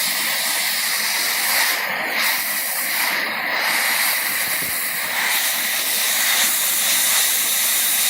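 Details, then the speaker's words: Two-stroke expansion pipe pressurised with compressor air while dents are heated out with a torch: steady loud hollow hiss with no engine running, air escaping through a small hole; needs a small patch, perhaps brazing. "Right there on that hole. Good news is I feel it coming out. It's not even that hot, the air. Most of the air coming out is the compressor air."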